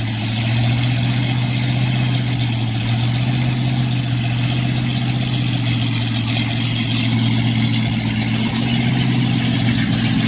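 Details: Freshly rebuilt 1960s Chevy 327 carbureted small-block V8, first run with new HEI distributor, cam not yet broken in: even, steady low idle rumble, no ticking, knocking or stumble; good oil pressure, timing needed no adjustment.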